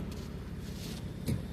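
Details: 2007 Pontiac G6 GT convertible, years in storage, top being raised: windows lowering with quiet, even motor hum under a low rumble and a soft thump near the end; normal power window operation.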